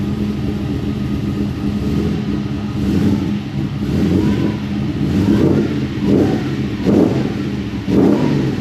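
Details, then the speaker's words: Nissan GU Patrol with Harrop-supercharged LS V8, 6L80 automatic and 3.5-inch exhaust, first start after topping up ATF: crisp throttle blips that rise and fall cleanly with no knocks, misses or rattles; normal revving. "That sounds so good, man. That sounds pretty good."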